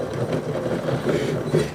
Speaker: This was the front hub that failed on my road trip, the bearing, which you can hear